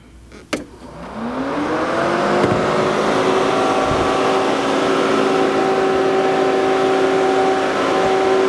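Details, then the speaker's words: Audi S5 with the key off and out of the car, just after the battery is connected. The radiator cooling fan whirs up to a steady hum and runs constantly, draining the battery. "So that's what this car does all the time, all day, every day. The fan just runs constantly."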